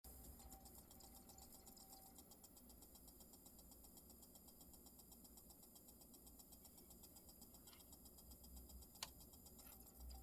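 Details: Marantz CD6006 CD player, bought secondhand: a faint, fast, regular ticking over a low hum while the disc spins; the player also goes silent after track 5.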